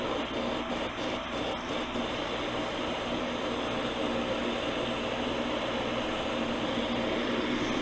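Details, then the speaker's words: Septic system jet aeration pump after an overhaul, found while tracing an internet outage and tripped breakers, float lifted to run it; after a few clicks, a steady even rush of air with a low hum; strong, normal airflow. "but i can feel good vibration and good flow on that on that pipe and that's running like just like it's supposed to it's perfect got some good airflow going now"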